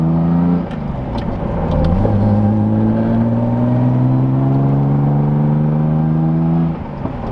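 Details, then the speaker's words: Datsun 280Z inline-six on a gentle back-road drive while breaking in a new clutch: climbs on throttle with a few sharp pops early, then pulls evenly; backfiring, owner suspects something newly installed, not confirmed. "I'll give her a little bit of sauce. She's backfiring. I don't know if you can hear that. Could be the new math that I put in."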